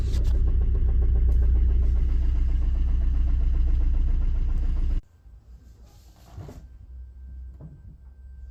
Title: 2005 corsa C engine sound 1.3cdti hard start and bad flywheel